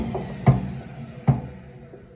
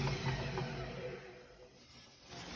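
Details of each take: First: Hotpoint Ariston WMUF 5050 washing machine: single dull thumps about every 0.8 s while the drum turns, worst on spin. Drum doesn't knock when rocked by hand. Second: Hotpoint Ariston WMUF 5050 washing machine after tightening the loose drum bearing/hub part with a wrench: drum coasts with a low steady hum and the knocking is gone. Owner expects it to loosen again in two to three months.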